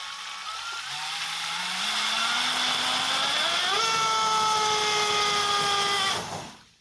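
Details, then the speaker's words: RC model on test with an 1800 KV motor on a single battery: whine climbs in pitch as the motor spools up, holds steady, then cuts out abruptly. The motor draws too many amps from one battery, tripping the ESC low-voltage cutoff; a second battery is added in parallel. "you hear that and that's the ESC cut off so I went and I picked another battery and I will connect it in parallel to prevent the low voltage cut off because the motor is pulling too many amps from the single battery"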